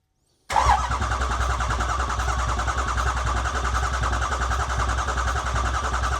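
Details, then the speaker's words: 2008 Ford E350 diesel van, engine mostly rebuilt, first start attempt: after cycling glow plugs with fuel pump running, the starter cranks at a steady even beat for several seconds with no firing until the battery runs low; cranks but won't start. "Okay, so we cranked it for a little while there. You hear the battery start getting low."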